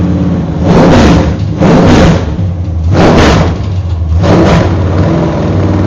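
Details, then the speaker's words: GM Performance V8 crate engine on open headers, run before going into a race car to check for leaks: deep lumpy rumble with throttle blips about every second, firing even and crisp; strong healthy engine. "So, and my neighbors haven't heard a good healthy V8 running with open headers for a long time, so we're going to give them a treat today."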